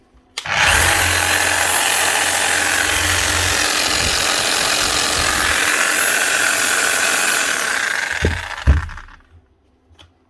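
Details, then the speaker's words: 2008 Makita HM0860C chipping hammer before repair, running rough with weak hammer action and worn brushes; loud, gritty, uneven gear rattle over a high whir, worse at high speed. Owner suspected bearings or gears; armature and crank gear teeth were worn. "I think the Armature is okay but I don't know what that noise was this is just when she's running fast the sound worse to press that out on the bearing press keep going an ey either that or it could actually be worn gears up"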